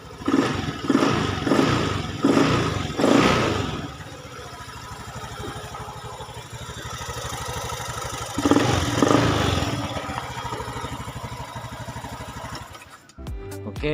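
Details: 5-year-old Honda Scoopy eSP ACG injection scooter, never serviced, that stalled suddenly while riding with no MIL code; after filter cleaning, spark plug check and ECU reset: catches on the starter, blips a few times, settles into an even, steady idle.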